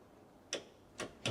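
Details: Freshly built Corolla engine back after about 11 months, first start attempt, possibly weak battery needing jump: three sharp single clicks about half a second apart, no cranking; starter not turning engine over.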